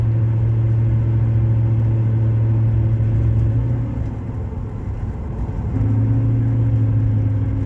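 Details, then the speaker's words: 2500 HD pickup with 6.0 litre engine, 285,000 miles, fifth gear at about 40–50 mph light-throttle cruise: steady low hum under road rumble, changing pitch with throttle; worn rear pinion bearing from poor maintenance. "my rear pinion bearing makes more noise under acceleration like under light light acceleration cruising speed than the muffler does"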